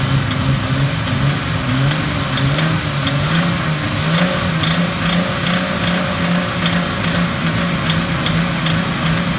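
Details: Nissan RB20DET engine with a faint regular ticking knock over a steady hum at 2,000 rpm that disappears at 2,500 rpm; swapping ignition coils didn't change it. Owner unsure whether rod, spark or lifter knock.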